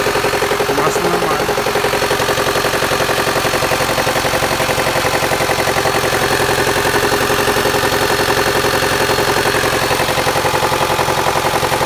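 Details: 2008 Mitsubishi Outlander XL, 4B12 MIVEC engine: steady, even knock at about 220 per minute over a smooth idle. Internal engine knock; owner asks what it could be.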